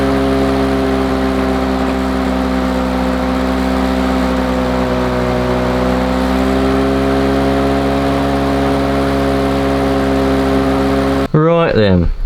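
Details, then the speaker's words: Lawn Boy two-stroke mower after the brass carburettor bolt was turned in, previously very rich with low revs: steady revs with a slightly uneven, burbling beat. Better than before but still not quite perfect; rough running. "so that runs runs a lot better than it um bit of a snow there it runs a lot better than it did before but it's still not quite perfect"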